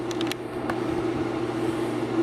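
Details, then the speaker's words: Vintage Kodak Brownie 500 A5 movie projector No 225, motor running in still mode with the fan blowing; steady low motor hum, soft fan whoosh and a few light ticks early on; normal running. "If you see back the air making the curtain wave, let me turn the motor off. The wave stops. Turn it on. You can see the fans blowing."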